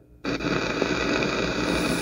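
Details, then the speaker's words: Lexicon MPX1 (1996) multi-effect unit, probing the right-channel input with the amp on and no signal: a steady hiss and crackle appears at pin 24 but not pin 23, locating the right-channel static fault. "yeah i'm hearing the noise on 24. okay not on 23."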